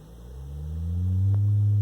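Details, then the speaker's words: One speaker of a vintage Lloyds 8M36W-07A all-in-one stereo on a test amplifier, sine sweep from 20 Hz, audible from about 50 Hz: low hum rises smoothly in pitch and grows louder without buzzing or rattling; normal low-frequency sweep response. "we're gonna start it like 20 Hertz and go on up and see what we can hear so headphone users beware you can just start to hear them at 50 Hertz"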